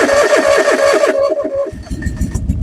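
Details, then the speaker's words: Derelict fuel-injected John Deere 445 garden tractor, long unused, started after cycling key to prime fuel pump: about a second of rapid cranking, catches and settles into uneven running idle, loose nuts heard in fan; oil pressure and charging fine, starts normally. "oh this is unbelievable that this thing still runs I couldn't be happier well that's awesome"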